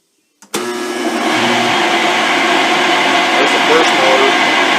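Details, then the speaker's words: Rotary phase converter motors with worn bearings, running before teardown and bearing replacement: spins up within a second, then a steady loud howl with a high whine on top; baseline recording for after-repair comparison. "i'll leave the audios at the same level we'll leave the camera in the same place when we start it up again next time and that'll give us a comparison because right now these motors just howl"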